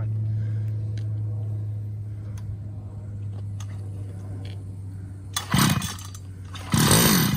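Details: Uberscoot Evo 2x scooter, first start of rebuilt 6-port stroker GP470 two-stroke, +1 mm stroker crank, new HDA-223 carb, stock exhaust: low even idle burble, then two clean revs that climb and drop back; running healthy.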